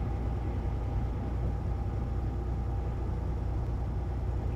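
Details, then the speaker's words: Heavy diesel truck on first run with new injectors, previously misfiring on one injector: idles with a deep, even rumble and steady clatter, running smoothly without a skip; normal idle. "right wisco it sounds so much better it had a little like a bit of a misfire before before it sounded like a freight train you can hear that one injector misfiring now it's just it's perfect"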